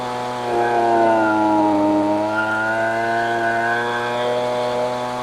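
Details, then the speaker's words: Husqvarna 125B two-stroke leaf blower at full throttle while adjusting the high-speed mixture screw: screaming tone wavers with burbling as it is richened, clearing when leaned; rich mixture causes four-stroking. "so hopefully you noticed and could hear that I was basically going on off on off on off as I went to the left and I riched it you could hear it for stroking and then when I went just to the right you could hear it going away again"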